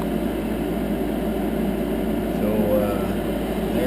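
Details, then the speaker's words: 10-year-old Heil gas furnace after inducer fan replacement: quiet, even whir with no rattle, squeal or bearing growl, much better than the noisy old inducer; normal running. "let's uh fire this thing up see what it sounds like yeah much much much much better it's quiet"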